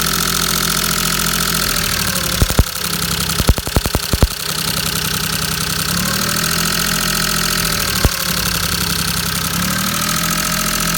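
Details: Maruti 800 5-speed MPFI petrol engine idling unevenly with sharp irregular pops and stumbles: misfire.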